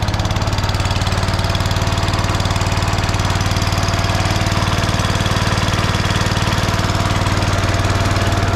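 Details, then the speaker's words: Lawn tractor with 14 hp Kohler single-cylinder engine, rebuilt voltage regulator, new battery and hydrostatic drive: fast, even thump with a steady beat and no misses or rattles; runs well. "Runs quite well."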